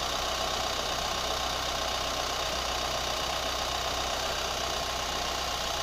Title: New Chevy Colorado ticking sound / rubber squeak sound